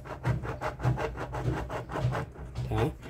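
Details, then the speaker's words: Washing machine with lower drum bearing exposed, turned by hand: rough dry grinding rising and falling about 100 pulses a minute; failed bearing causing loud spin noise, to be replaced. "aqui quer dizer que esse rolamento tá ruim um rolamento barulhento desse aqui vai fazer muito barulho muito barulho então A melhor coisa é trocar"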